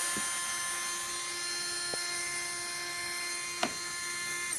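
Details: Readytosky 1804 quadcopter motor on a vibration test after calibration: a thin, steady high whine with a rough buzzy edge and a few clicks. Worn bearing shaking the motor; magnets reportedly come loose from vibration.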